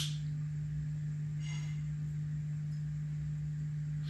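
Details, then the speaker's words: Early rev. green Bogner Überschall amp, serial 86, US 120V model, first power-up at 120V, master volume down: steady low hum at one pitch; sounds like 50 or 60 cycle mains hum, not confirmed. "that hummus actually sounds like um you know 50 cycle 60 cycle hum maybe so definitely check that out"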